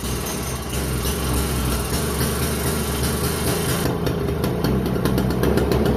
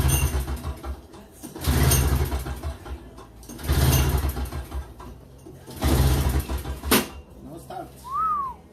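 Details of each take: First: Toro CCR2450, 141cc R-Tek two-stroke on mixed gas, after carburetor cleaning following a no-start: fires and holds a steady, even buzz with music over it, no misfire or surging; normal running. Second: Toro CCR2450 with a 141cc R-Tek engine on mix gas, after carburetor cleaning and fuel line refit: three or four pull-start bursts of rough chugging, each dying away without catching, so it cranks but does not start.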